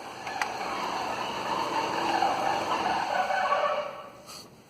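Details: Citroën C4 with automatic transmission, noise first suspected from gearbox: steady hissing whine in the mid range under the engine drone, easily mistaken for a failing bearing but really an intake vacuum leak.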